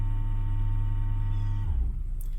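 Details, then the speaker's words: 2012 Ford Edge Limited 2WD 3.5L V6 with a sinking brake pedal, scan-tool ABS service bleed purging air, pedal held: low, steady electric motor hum drops in pitch and winds down after about 1.5 seconds; normal ABS pump operation. "okay depress the brake and hold the brake press ok so I was releasing getting more air out of the system and it's going to go to that ABS noise again"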